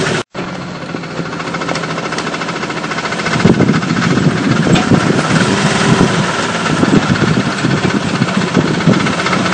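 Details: 1998 Jeep Cherokee XJ petrol engine idling with a loud, fast, regular clicking over the running sound; owner also notes smoke coming out, cause unknown.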